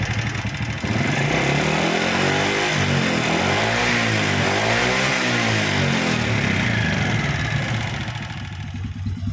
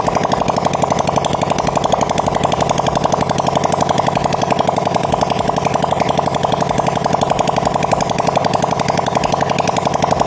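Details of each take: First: Honda Supra Fit motorcycle single-cylinder before repair, smoking: revving up and down with a ragged, uneven note and dry clatter underneath; piston scored from running short of oil. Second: Supra Fit motorcycle after engine rebuild for white smoke and rough sound, running with open pipe before exhaust refitted, revs raised: fast, even rapping beat with no knocks or misses; normal running.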